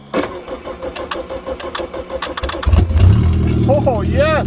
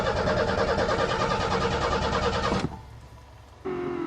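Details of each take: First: Car unrun since early June, cold snowy December start, battery connection reseated, fuel pump working; starter cranks a couple of seconds, engine catches and settles into a steady, even idle with no misses; runs fine. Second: Car unstarted since April, cold snowy December start: steady starter cranking around three beats a second that never catches, then stops; the coil wire had been left disconnected. Crank no start.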